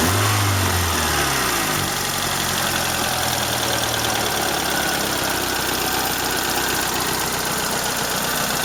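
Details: Toyota Corolla Ceros, 4A-FE engine, C50 manual gearbox, at steady idle: a fast, light tick about four per second. Owner unsure if it is valve tick or gearbox shaft rattle; the exhaust flex pipe also leaks slightly.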